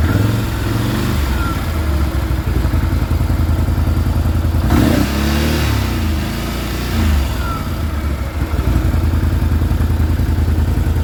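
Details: Can-Am Renegade 650 with a Rotax V-twin idling cold with a hollow, rhythmic knocking clatter under the exhaust beat. Cold-engine piston slap, common on this engine, stops as the engine warms up and clearance decreases.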